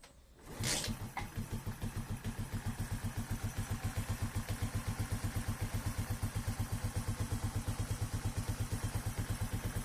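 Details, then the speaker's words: Corven Energy 110 single after engine opened and rebuilt for cam chain noise and extra knock (suspected piston or wrist pin slap, oil burning): kick-starts, settles to even steady putter, no ticking or knocking; normal idle. "Quedó hecho una seda el motorcito."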